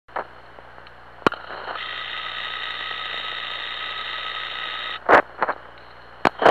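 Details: UL101 ultrasound detector on a pump motor bearing: smooth, even rushing hiss with no crackle or knocking, indicating a normal, healthy bearing.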